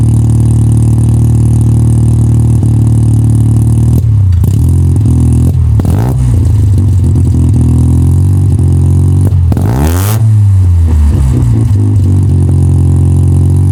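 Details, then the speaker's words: 1985 Mazda RX-7 GSL rotary, first start after new Racing Beat exhaust install, mic near exhaust: deep drone idle then blips with raspy puffing on revs; exhaust leak from a hole between pre-silencer and connecting pipe. "Well, there's a small issue. The point between the pre- silencer and the connecting pipe, there's a hole. There's an exhaust leak. You can hear it."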